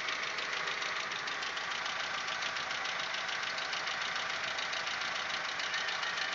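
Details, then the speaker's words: Audi 1.8, 90 hp, idle around the sixth minute: fast, light, irregular ticking, three to four per second, getting very loud as it warms, absent cold. This follows cylinder-head repair. Owner suspects hydraulic lifters or the 15W-40 Lukoil oil; unconfirmed. "вот тут уже на шестой минуте усилил как-то я не знаю в каких мер очень очень громкий стук"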